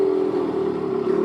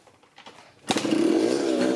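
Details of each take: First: 1984 Yamaha RX50 two-stroke 5-speed, bought not running and just revived, right after its first ride: holds a high, steady buzzing idle that won't drop. Owner suspects an air leak. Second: 1984 Yamaha RX50 two-stroke 5-speed motorcycle, not run for at least six months, with petrol poured in: a kick and it catches, crackling and revving unevenly; engine starts and runs, so compression is present.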